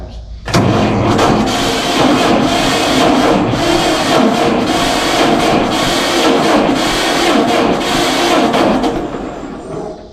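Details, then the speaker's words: 1952 John Deere G two-cylinder tractor, first start in about four years after the gasoline was moved to the correct tank and leaks were fixed; it catches after a short crank, then a loose, uneven popping beat settles down and it idles down well. "now i'm gonna try to give her a whirl see if she'll start up this hasn't been started and i don't know how long it's been a few years so we'll see what happens"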